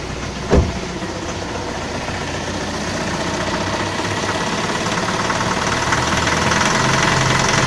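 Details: Mitsubishi L200 diesel, cold start at −7 °C in the garage (−12 °C overnight): rough idle with a faint uneven knock that happens every morning and fades when warm. Lately it also knocks under load, worse in higher gears. Cause unclear.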